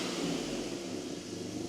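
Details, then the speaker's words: BMW E39 528i after a coolant system overhaul, once an unseated part at the fuel rail was reseated and the check engine light cleared itself; quiet, even hum with no stumble or vibration, idling much smoother than the earlier rough running. "So yeah, maybe you can hear, maybe you cannot, but like the the engine runs much smoother"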